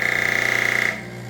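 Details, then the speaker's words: Elektra Microcasa Semiautomatica espresso machine vibration pump on first fill: loud harsh rattling buzz with a shrill edge because the line is dry, then it drops to a softer steady hum as it primes and the boiler fills. "That sound of the pump was the line being dry water."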